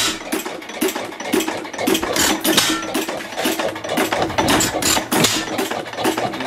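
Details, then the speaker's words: 2.5 hp hit-and-miss engine running normally after choking and lubing: sharp clicks at an uneven pace as the igniter trips and fires now and then, governor weights flying out after each firing; runs fine, blowing smoke rings. "So that's the hit and miss engine. She sounds pretty nice."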